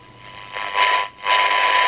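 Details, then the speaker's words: 1978 Craig 4103 23-channel AM CB radio with poor reception, test signal fed in: two half-second surges of hiss from the speaker; noise and distortion, technician suspects the second IF stage detector diodes, not confirmed. "bring this a bit cleaner because to me they shouldn't be doing that we're picking up a fair bit of noise and distortion"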